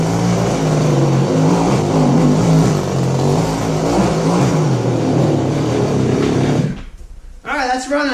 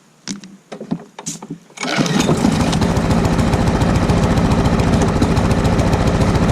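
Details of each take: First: Goped-style small two-stroke scooters after throttle return fix: steady, even idle with no surging or runaway, then clean shutoff; both running well. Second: Lawn mower single-cylinder with carburetor swapped from another mower, governor spring suspected out of adjustment: a few cranking pulls, then steady flat speed that never climbs; runs but lacks full power, won't rev up, cause unconfirmed.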